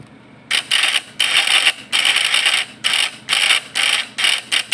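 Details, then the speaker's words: Points-type (platina) PS fish-shocker vibrator inverter after tilting the burnt, pitted points slightly: harsh high buzz in uneven one-second bursts, still not working right. "Nah, belum bisa juga. Kita tes lagi, tambahin sedikit lagi."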